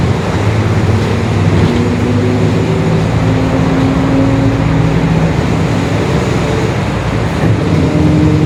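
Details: 2021 Marcopolo Torino S bus on Mercedes-Benz OF-1721 BlueTec 5 chassis, urban service under way: steady low drivetrain drone with wavering moaning tone shifting with road speed; growling differential.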